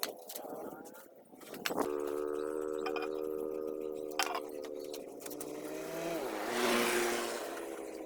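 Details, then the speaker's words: Honda Wave S110 motorcycle idling: light, quick metallic ticking from the top end, cam chain tensioner noise from a worn tensioner letting the cam chain slap; part replaced. "hello friends today i saw about repair motorcycle and part of motor that noise of CAM CHAIN,and change it."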